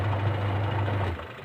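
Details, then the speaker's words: Sharp manual washing machine after replacing pulsator and gearbox, which previously ran very rough and noisy: low even motor hum with no knocking or grinding, then winds down when switched off; wash drive now smooth. "Nah, halus, berhasil halus. Oke, misi saya berhasil."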